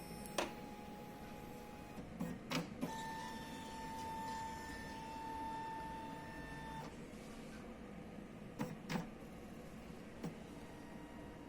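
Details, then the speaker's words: Epson L3150 printer copying: carriage movement out of sync, whirs and strains with thin whine and sharp clunks at paper pickup then stops, giving general error with all lights flashing; loose carriage encoder disc. "ele o movimento desse aqui parece que tá não tá sincronizado ele dá uma forçada aqui no onde puxa o papel e aí ele provoca o erro e faz um barulhão"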